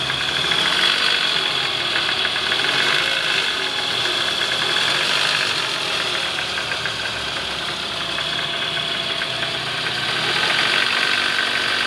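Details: 2009 Toyota Alphard ANH20 with a 2AZ-FE engine, heard from under the oil pan: coarse rattle three to four times a second at idle even in neutral, from a worn, loose No.1 balancer shaft gear; balancer shaft knock.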